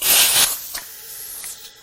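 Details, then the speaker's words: 2011 Chrysler Town and Country 3.6L Pentastar V6 on a cold engine during a cylinder leakdown test: a sharp rush of air hisses from the intake, then fades, as pressure leaks past the intake valve; valve leakage from pitted valve seats. "bad all right so that's not good I can hear it rushing out of the intake"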